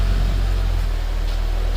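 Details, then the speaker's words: 2011 Mitsubishi Eclipse 2.4L, first run after new timing belt fitted following crank-no-start: low, even idle with steady pulse, no ticking, slapping or misfire, running pretty smooth while oil circulates; normal idle. "Oh man, look at that. It's running, guys. Seems to be running pretty smooth."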